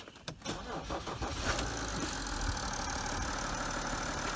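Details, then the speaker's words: BMW E60/E61 530d diesel with the auxiliary belt removed cranks about a second, catches and idles evenly with no whine, confirming the whine rising with rpm up to about 2500 comes from the belt drive, not the idlers. "Gonna start it again just to confirm that the noise definitely goes away and haven't been completely wasting my time."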